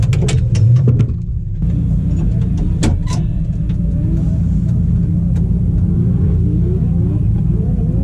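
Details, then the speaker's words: Nissan Skyline RB30DET drift car after an event, odd noise appeared: heavy low rumble with uneven, labouring note on startup; not a healthy sound, owner suspects gearbox, bottom end or damper, cause unconfirmed. "Kuulit sä Mikä ääni ihan V Joo ei oo terveääni ei oo terve ääni"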